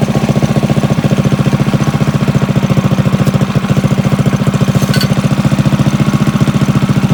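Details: Drift trike engine idling after its clutch set gear was found missing and refitted, battery charging: strong, regular low thumping at about three to four beats a second, smooth and even with no knock; healthy idle.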